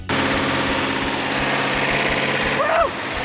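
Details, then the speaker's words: Rebuilt 1971 Hemi Cuda V8, after timing and carburetor adjustment: steady, even idle rumble with no skips or pops; exhaust felt for misfire, all eight cylinders firing equally. "this case I had a perfect running engine all eight cylinders were firing equally"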